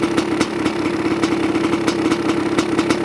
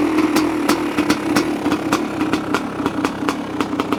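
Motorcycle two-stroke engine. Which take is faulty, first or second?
first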